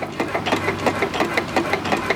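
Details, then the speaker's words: Old hit-and-miss or air-cooled stationary engine run slowly with spark retarded: quick steady knocking, roughly six or seven a second, through each turn, with occasional backfire; knock developed since acquired despite greasing, cause not known. "she has a little bit of a knock it didn't do that when I first got it but it's developed it since I've had it I don't know"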